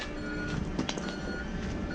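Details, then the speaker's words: Junkyard Smith Electric delivery truck with the ready light on. A faint repeating backup beeper sounds over a low vehicle hum as it is put in reverse; the reverse alarm works. "that's a backup beeper"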